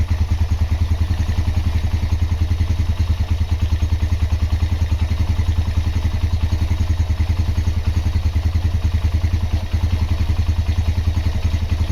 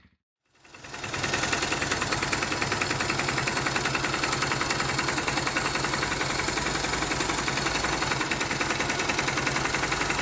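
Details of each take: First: Honda GL Max Neotech single-cylinder engine after restoration/rebuild: even low thump about three and a half pulses a second, no knocks or rattles; normal running. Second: Honda GL Max Neotech motorcycle engine before teardown, owner complaint of rough noise, oil seepage, possible low compression: rough idle with busy sewing-machine clatter about three ticks a second from head and clutch area; stiff timing chain link and scored rocker arm.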